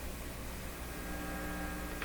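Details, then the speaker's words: Deforest D556 five-tube radio with 50L6 output tube, powered up while checking output grid bias for a leaking grid blocking capacitor; steady low hum with faint higher buzz through the speaker, cause not yet traced. "well there's a nice home it's me antenna sounds the very same to me"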